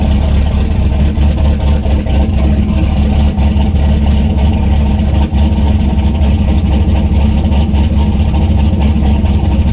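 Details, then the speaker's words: Turbo LS V8 swapped Miata on first start with the new tune and the coupler on, not yet warm, with the downpipe unfinished. Deep, loud idle with an uneven lope and stumbles. Rough idle; the O2 sensor works, but fuel pressure needs lowering and changes are needed. "O2 sensor seems to be working it's still running very rough but there's a few changes that need to be made"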